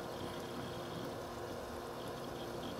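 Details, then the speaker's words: H220 AIO pump up close, no fans, warm water circulating, steady 2947 rpm, essentially maxed, about 5 dB above ambient: quiet even whir with faint water trickle, no grinding or rattle; normal pump running. "give you the speed readout according to speed fan on the pump speed right now it's running at a steady 2947 rpm it's pretty much maxed out right now"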